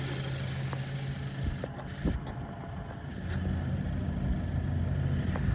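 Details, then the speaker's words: Audi B9 Q5, 12,000 miles, direct injection: smooth steady idle with light fast ticking on top, normal fuel injector noise; engine runs excellent. "If you listen closely, the sound you hear is actually the fuel injectors spitting the fuel into the system"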